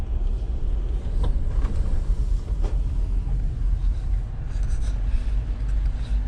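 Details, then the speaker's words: 2020 Jeep Gladiator Rubicon, 40k miles, second start in a cold shop after a misfire fix (dead cylinder 2) by cleaning the cam phasers in the computer; low, steady V6 idle with no stumbles or missed beats, normal. "Second start seems to be okay. Just can't get over that cleaning the cam phasers in the computer made a difference."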